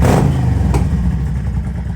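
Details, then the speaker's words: 1998 Yamaha V Star 650 fully reassembled after fuel system repair, warmed up hot, choke off, baffles removed: V-twin revs then settles into loud, even, lumpy beat, no knocks or misses; running healthy. "all right I've got the bike fully reassembled and it is running perfect let me give you a little preview here so I just warmed it up um so it's already hot I don't have the choke out"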